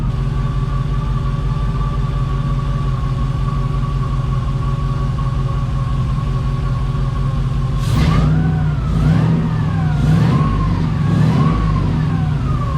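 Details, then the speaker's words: 1988 Pontiac Firebird with swapped GM 5.3 LS engine, day after first start, solid oil pressure, warming up: smooth idle, earlier lifter tapping gone, then clean throttle blips; lifter apparently pumped up. Normal idle. "you got good oil pressure that ta is gone on how does that work let it get warm here you can tell it's starting to get warm already"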